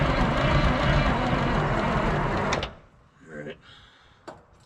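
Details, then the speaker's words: 1973 Peterbilt 352 cabover, 12V71 Detroit Diesel, sitting since 1986: even fast cranking for under three seconds with no firing, then stops; no more smoke; owner suspects a fuel problem. "if you notice we're not getting smoked no more i think we got a fueling problem"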